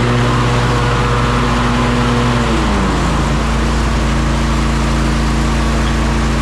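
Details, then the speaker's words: John Deere S140 mower with 48-inch deck after deck belt replacement, blades engaged. Steady engine drone dips and settles with no grinding or crunching: normal running with blades engaged. "now I'm gonna get on it crank it up and engage the blades and make sure she's okay listen for any grinding crunching sounds"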